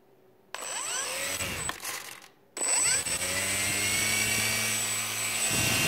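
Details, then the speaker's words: FMS Moa 1.5m RC glider after crash repair, motor wires swapped: small electric motor spins up with a rising whine, then holds a clean steady high tone with no rubbing or stutter; motor now turns the right way, braking still works, running normally. "you can hear go on the right way now so and the braking still working so and then the stabilizer of course is working and all the control surfaces are working just fine"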